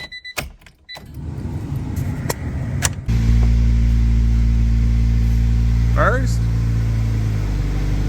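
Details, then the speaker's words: Car back together after engine removal (connecting rod found folded), manual transmission refilled with about 1.25 quarts of fluid, tested before lowering to the ground. Steady even idle; first and reverse engage cleanly with no clunk or grind, clutch working. "Before we put this thing on the ground, we're gonna test it, make sure that it goes into the gears properly, make sure the clutch works. Okay, that feels good so far."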